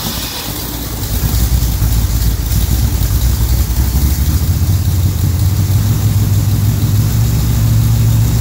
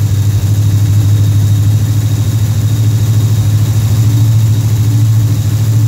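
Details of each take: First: Pontiac Rochester Quadrajet carburetor with choke pull-off set too tight: deep uneven lumpy idle that smooths when the choke blade is pushed slightly open; rough running from pull-off opening too little. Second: Pontiac Rochester Quadrajet carburetor V8, cold start: deep, even rumble held at a steady fast idle around 1,400 rpm on the fast idle cam, which drops off as the choke opens and the engine warms; normal fast idle.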